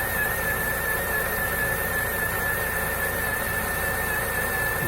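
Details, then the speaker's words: Lada Niva 4x4 injector engine after full rebuild with new oil pump and gears: steady high whine at one fixed pitch, from around the crankshaft, persisting with alternator and water pump belts removed; cause unknown. "грешил на генератор или помпу грешил на гур всего ремни откинул и отгулы от генератора и от помпы вой остался"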